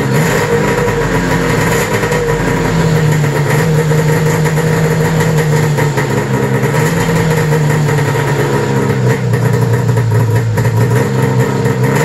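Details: 1995 Arctic Cat ZR700 carbureted two-stroke snowmobile engine after spark diagnosis: even steady idle burble, no misses, knocks or hunting; normal idle, engine running clean and healthy.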